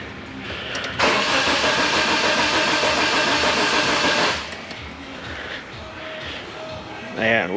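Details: 1992 Geo Tracker off-road buggy with new coil, crank no start; steady fast starter whir for about three seconds, never firing, while the scope shows no ECU coil or igniter control signal.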